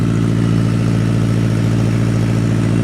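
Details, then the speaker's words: Circuit car with a newly installed engine and fuel upgrades, cold start: the IAC holds a steady, slightly raised fast idle with an even low rumble as it warms; smooth and healthy. "Listen to that cold start, boys. Look at that IAC doing work."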